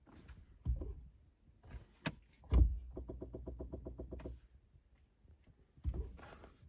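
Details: 2017 Chevy Bolt brake booster making a quick run of about eleven even clicks, roughly nine a second, noticed upon delivery within the warranty period; cause unconfirmed.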